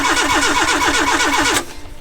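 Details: Fire-damaged car being restarted on an ECU: steady starter churn around seven compressions a second, no firing, then silence; trigger-wheel voltage threshold too high so ECU wasn't reading triggers.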